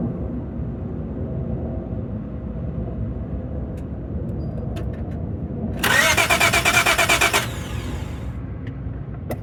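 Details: 2002 Acura TL with a fully charged battery: after a long quiet spell, about a second and a half of even, quick cranking pulses, but the engine never catches; it cranks but won't start.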